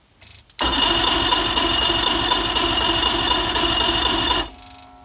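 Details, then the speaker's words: Rebuilt 2000 Mercury 210HP 2.5 V6 in Sea-Doo Speedster: steady starter cranking about four pulses a second, fuel pump audible, never fires; crank, no start, no spark seen. "You saw me, I turned the thing over and no spark."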